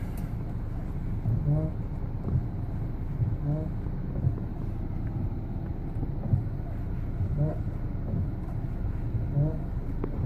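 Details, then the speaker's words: Lifan Solano 2 at 26,700 km, driving: faint creaky chirps every couple of seconds when turning the steering wheel over low road rumble; steering squeak, cause unconfirmed, service promises steering rack replacement. "При повороте руля появились скрипы."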